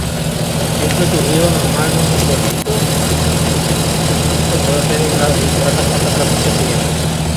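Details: 1993–98 Jeep Cherokee after fixing a noise at the flywheel ring gear with threadlocked bolts: steady, even idle with a smooth low rumble and no ticking or rattle from the flywheel area; healthy.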